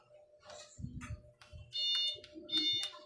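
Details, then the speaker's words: Panasonic top-load automatic washing machine that won't start when Start is pressed, power OK: continuity tester gives a high, clear beep each time a two-pin control switch is pressed, amid handling clicks; switch contact closes properly, switch good. "Ayan mayroon siyang continuity pag pinindot natin dito."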